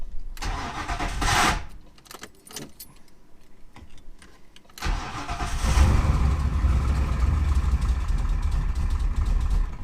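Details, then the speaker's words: BMW E36 with booster delete, after a drastic tune change, on a borrowed old battery, about 35°F cold: slow labored cranking with false catches, then fires into a rough uneven idle; hard starting, long cranking; cause not confirmed, owner adjusting tune. "Almost. It's like 35 degrees out right now. Alright, so I'm gonna mess with the tune."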